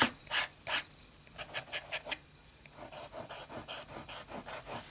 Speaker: And I think I have significantly improved the writing performance of this pen. It's probably never going to be the smooth the world's smoothest nib, but it's it's really nice.